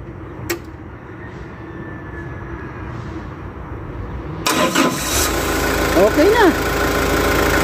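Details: Forklift: near silence, then the engine turns over and catches about halfway through, running rough and uneven after the start. Hard starting.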